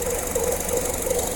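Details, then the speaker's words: 2014 Honda Civic idling: rhythmic chirping squeal, about two to three pulses a second, belt walking back and forth; noise traced with stethoscope to a worn idler pulley wobbling on its center bolt. "that belt is walking back and forth you see that and it's making a what what what noise and it's coming from this island cooling hit back here"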